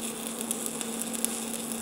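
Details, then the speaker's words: Stick welding with a new Lincoln Square Wave welder at 125 amps using 7018 rod; steady even crackle with faint hum and occasional small pops, no sputtering; healthy smooth arc, thin bottom material being eaten into. "It sounds good. Yeah, it's welding pretty good. 125 amps."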